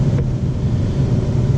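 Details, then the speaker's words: Ten-year-old central AC compressor running after being freed with a rubber mallet. Steady, even low hum with no clatter or grinding, 9 amps, 19-degree split, low and head pressures on target; healthy. "so everything else is looking fine my low pressure is good great on target my what we call our our head pressures good when temps are good"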